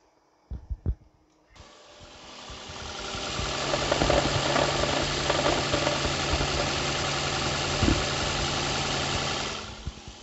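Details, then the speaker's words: Toyota hybrid, petrol engine starting and idling with a light, fairly regular knock about three to four times a second; VT1 engine coating additive added to try to quiet the knocking. "แต่ตอนนี้ผมอยู่ที่อำเภอปะทิวจังหวัดชุมพรกับรถไฮบริดอันนี้ครับว่ามีเสียงเคาะในเครื่องยนต์"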